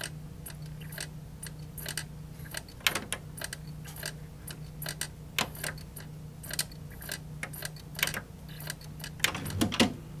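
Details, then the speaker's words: JVC PC-X560 boombox CD player, found in the trash: uneven light ticking and clicking over a low hum and no music starts. The laser keeps searching and fails to read the disc, though it has mostly played before. "You can hear it just kind of having trouble at points. Well, now it's going to make a liar out of me, and it's not going to want to play at all."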